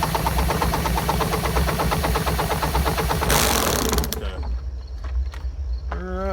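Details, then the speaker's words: Lawn-Boy "bricktop" mower spun over with a drill for about three seconds: fast, even chugging with pulses suggesting decent compression, then it stops; hot spark confirmed afterward. "Spun her over a bunch. You can hear it popping like maybe it's got some compression."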